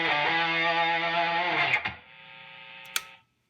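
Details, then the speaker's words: Fender Frontman 65R guitar amp that had made no sound (loose AAA battery found rattling inside), after repair on the drive channel: a distorted chord rings out full and sustains cleanly with no hum, crackle or cutting out; overdrive works. "let me plug in the guitar and see if i get sound so [Music] i get sound not only that the drive works"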